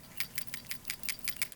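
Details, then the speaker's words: Crisp, bright clicks about five a second as a new PCV valve for a 2013 Toyota Prius V is shaken, its plunger bouncing freely. A healthy valve sounds like this, while the old goopy one sounds muffled. "shaking your PCV valve will let you know how goopy it is inside it should bounce freely with a nice loose clicking sound as it jostles around"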